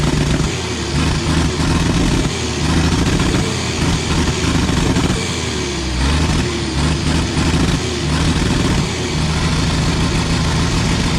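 Big diesel clatters along at a steady low idle with even firing and no stumbles or skips; sounds healthy now.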